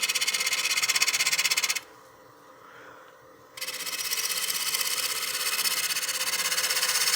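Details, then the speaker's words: Wood lathe at about 950 rpm, gently scraping a 2-inch-thick, 13-inch round kiln-dried cherry blank on the bottom wing with the flute mostly closed: a fast rhythmic rasping chatter as the tool skips the high spots because the blank is out of true. "You can hear it chattering across the surface. That's because it's out of true."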